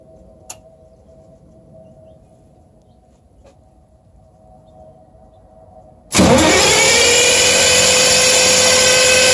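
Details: MEP-006A diesel generator with rebuilt day tank, new hoses and fuel pumps, rebuilt injector pump, fuel at pump and injectors: starter cranks steadily with no firing, white smoke only; owner suspects timing 180 degrees off.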